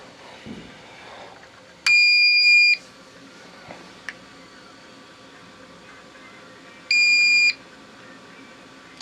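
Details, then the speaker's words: APC Back-UPS 500 after a self-test, running on battery with mains power cut: two clear high beeps about five seconds apart in a quiet room, the normal on-battery signal. "let's hit test again Oh looky there sounds good let's kill power"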